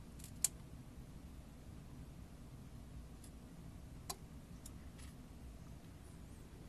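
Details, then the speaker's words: Faulty 30V 5A variable DC power supply now only reaching about 5.6 V; relay switches voltage modes: near-silent hum broken by a few sharp isolated relay clicks on connecting, 0 to 11 V; cause unknown, owner suspects control signal not switching modes. "And like whenever I connect this up, you can hear that the relay clicks because it goes from 0 volts to 11."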